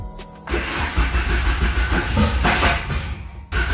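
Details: First start of a Ford Escort with newly fitted R1000 injection, wideband, turbo and modified maps, after battery trouble: brief crank, then it fires and runs with slightly uneven revs under background music; normal start.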